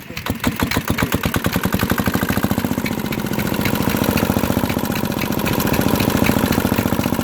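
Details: Antique Yanmar diesel engine at a show, hand-cranked after bleeding air from the fuel line: catches after a few rough puffs, then settles to a steady even thump of about 3.5 beats per second, running cleanly.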